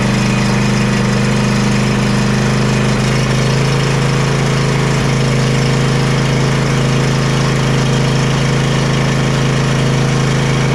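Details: John Deere Z335E zero-turn with a Briggs & Stratton V-twin, after wiring harness replacement and a valve adjustment: steady, even low hum with no popping or clanking, idling smoothly and running normally.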